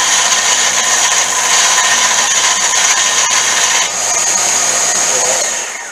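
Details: Semi-homemade 1-inch belt sander after replacing noisy worn-bearing wheels with serpentine belt pulleys from cars: even, steady hiss and whir from the belt with constant motor pitch, no thumps or rattles; runs smoothly after repair.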